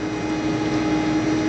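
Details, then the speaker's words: Maytag WU882 dishwasher that won't drain, running wash cycle: steady, even mid-pitched hum with no grinding or rattle as wash pump sprays; drain fault suspected from binding pump bearings. "The pump just started and it's spraying, pumping."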